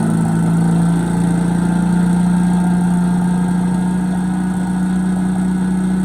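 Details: Bolens 3.5 chipper shredder small engine, first run after about 20 years stored outside under a tarp: steady, even hum with no misses or surging; normal running.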